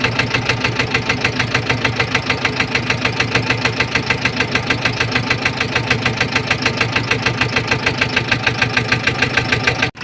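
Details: Massey Ferguson 460 Xtra tractor, Perkins 1104 diesel, also overheating: sharp even knocks about three per second over steady diesel idle; engine knocking, source unknown.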